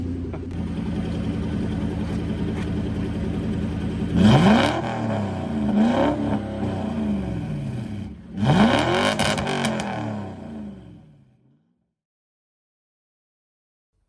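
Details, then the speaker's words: Focus project car with a twin-turbo V8 and a new custom TIG-welded stainless steel exhaust, resonators/mufflers not yet sorted: deep, even idle, two sharp blips falling back to a clean burble, then shutdown. Normal, healthy V8 running. "sounds pretty good to me I'm quite happy with how it sounds"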